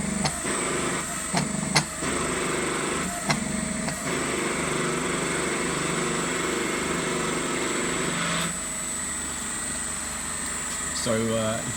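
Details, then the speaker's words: Homemade hydraulic forging press, 700 bar (70 MPa) 30-ton ram, about 37 mm/s unloaded and under 12 mm/s under load; steady pump drone with a fixed high whistle and a few clunks as the ram shifts; normal operation. "So that is it. I'll switch it on, and then you can hear the noise it creates and see it move."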